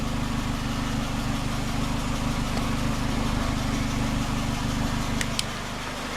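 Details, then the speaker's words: 2006 Toyota Corolla, 16-valve, idling: a light, fairly regular tick or rattle about three times a second over the hum, with something visibly shaking; the owner finds the pipe loose, cause unconfirmed. "I don't know if you notice this thing shakes. This type of video. You can see my foot. My pipe is loose."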